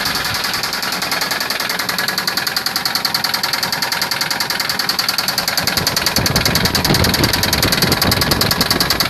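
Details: Nissan 240SX KA24DE at idle: fast, even ticking about three and a half times a second, a sharp top-end tick of unclear source; engine ticking noise.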